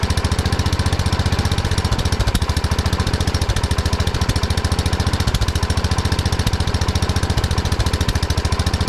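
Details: 1979 Kohler K301 12 hp single-cylinder mower engine after electrical and carburetor repair: hard, even pulses about three and a half per second, fast and steady; carburetor idle adjustment set too far.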